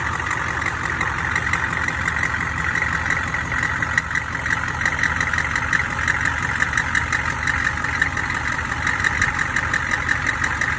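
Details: Engine at idle: sharp metallic ticks about three a second, high-pitched banging from low in the engine; suspected cracked flexplate or loosening crank bolts, not confirmed.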